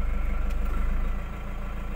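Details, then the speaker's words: 2018 Toyota Hiace Commuter diesel after fixing a cranking no-start (lost communication, no panel display; T-belt reset): deep, even idle with regular pulses, level settling slightly as the A/C compressor loads; aircon cold, rear A/C working, normal idle. "Ayun, ayos. Malamig ang aircon."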